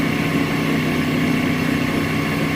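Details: Smithy AutoMate LT1440 CNC lathe after spindle replacement with a new, smooth-bearing spindle, running around 1800 to 2300 rpm: a smooth, steady whir with an even tone and no grinding or rumble; healthy.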